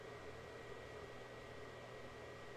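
Soft steady whoosh of a small fan with a faint constant whine, no rattles or surging; the console's cooling sounds normal.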